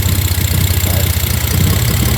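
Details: BMW E46 with coolant leak from hose through head, owner suspects injectors and idle air control valve: low, uneven idle that lumps and stumbles with irregular exhaust pulses; rough idle, cause unconfirmed.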